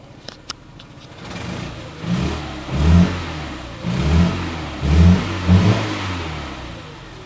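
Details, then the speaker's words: Renault Twingo that had run on only two cylinders for a couple of hours of driving: lumpy, uneven chuffing that lurches as it revs, like a twin-cylinder. Two-cylinder misfire. "I always thought that the Twingo was a bit of a modern day 2CV, and now my Twingo also sounds like one."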